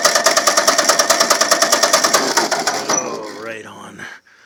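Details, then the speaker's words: 1951 Ford 8N tractor engine, bought as scrap, cranking for a compression test after carburettor and distributor cleaning and draining excess oil: even steady beats about three a second, no skips; cylinders one and two solid, three decent, good compression. "Cylinder one is solid. And cylinder two. Oh, I can't complain about that. And cylinder three. Decent. Decent."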